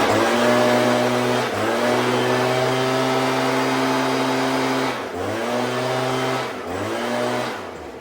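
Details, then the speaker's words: Stihl BG86 two-stroke blower after carburetor adjustment of the L, H and LA screws, with the idle backed off slightly: crisp, steady buzz that picks up cleanly on throttle blips. It is no longer dying or running rough. "To me, it sounds pretty good. Sounds good. It's not dying anymore, and it's not running rough"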